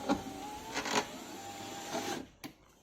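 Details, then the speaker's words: Lada (VAZ) cable power window rising: the motor whines steadily, broken by crunching knocks. The regulator cable had slipped out of position and was clogged with dirt. "Всем привет столкнулся с такой проблемой это хруст или стук стеклоподъемника"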